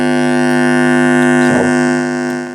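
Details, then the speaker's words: TEAC PowerMax 60-2 1990s PC speakers: a loud, steady buzz with a strong hum note; the owner believes he knows the fault, possibly poor power-supply filtering, not confirmed. "hopefully you can hear that that buzzing I've got to speak really loud cuz it is a very very loud"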